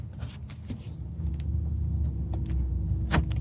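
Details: Low, steady engine rumble at idle on a 2004–2008 Chevy Malibu after cleaning the throttle body to fix a rough idle; no stumbling or hunting, idle sounds even and settled.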